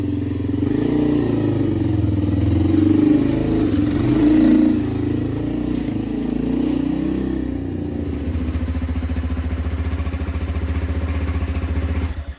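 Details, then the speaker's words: Lexmoto Street 125 revived non-runner, on test drive: small single revs up cleanly, settles into steady even beat with traffic around; runs healthy, goes into every gear. "idle sounds lovely idling beautifully revs now it does go into every gear because we did actually have a little test drive yesterday"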